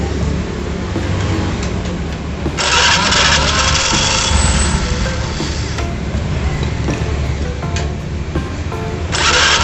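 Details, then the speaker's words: Honda Vario scooter, after replacing the rear CVT pulley bearing that caused a growling noise. It fires up and runs at a steady, even note with no drive growl, partly masked by music: normal running. "Oke hasilnya ini halus bro oke ya kalau kita matiin kita Puter Hai ini halus banget enggak ada bunyi sama sekali ya"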